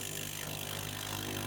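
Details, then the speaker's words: Very low-cost mystery espresso machine, first water run through the pump right after a 25–30 second heat-up: harsh, loud rasping buzz like a small CC engine; thought to be just a dry, unprimed pump expected to get quieter. "That sound. Oh, no. It sounds like an old little CC engine. It'll just be because it's a dry pump."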